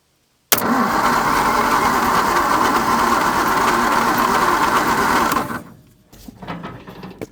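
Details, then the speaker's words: 1950 Nash Statesman engine, unrun for 23 years and stiff, now cranked on a 12-volt battery: steady faster cranking about five seconds with an even chug, no firing or catch; cranks but no start. "I'll grab the 12volt battery. Let's see what happens. Now we got a little bit more oomph happening here."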